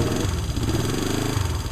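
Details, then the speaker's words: Honda CL350 twin, restored: steady even idle with a regular low pulse and no knocks or misses; runs good. "you hear it run. It runs good."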